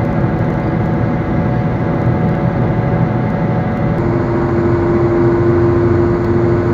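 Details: Car driving on road, worn wheel bearing; steady droning hum under road noise with a faint rising howl; wheel bearing noise.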